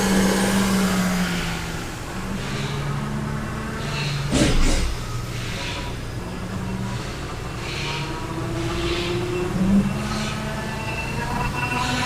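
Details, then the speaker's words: Genesis GV80 with a whining complaint, heard while driving: faint tone rising and falling with road speed over tyre and engine noise, from the rear differential pinion area; a later bulletin addresses this noise. "so as you heard that um noise when we're trying to run the vehicle and in the horse we heard that noise is coming from the rear differential"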